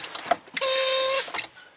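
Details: Big truck, under dash: sharp half-second hiss each time the brake pedal is pressed, then stops; leak traced to air-operated switch that cancels the cruise control, found by listening through an air hose.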